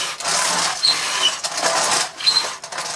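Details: Bissell Magic Broom 160 W handheld stick vacuum, years old, before refurbishment, catch popped off: fast, even high-pitched whirr of the brush roll spinning freely with airy motor hiss; runs smoothly, no knocking or dragging — normal brush roll operation.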